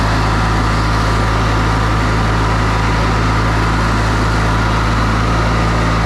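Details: Older Briggs & Stratton Sentinel by Murray ride-on mower after starter drive gear replacement: smooth, constant low hum with steady firing beat, no stumbles, rattles or knocks; running healthy.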